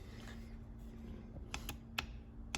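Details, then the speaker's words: E4OD/4R100 transmission solenoid pack on a bench test: the EPC solenoid is fed 12 V on terminal 12 and grounded on terminal 11, giving four crisp clicks over a faint hum; it actuates cleanly, passed the ohm check and appears good. "And you can hear it clicking. So that's the only solenoid really that you can't completely mechanically check. But we've done the ohm check and we've done the click check. It appears to be fine."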